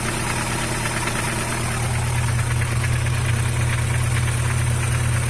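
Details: Car engine (the Vector) at cold idle with a light, fairly quick tapping, about three a second, over a steady hum, like lifter tick; occurs only when cold, recorded before adding Motorkote 100 treatment; cause unconfirmed.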